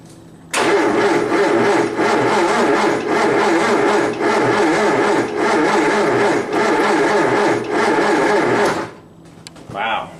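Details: 1963 Triumph TR4 after ten years in storage, original fuel bowl missing, battery charged, clutch pushed in, checking spark: steady starter cranking about eight seconds with even compression pulses, never fires; no fuel reaching the engine.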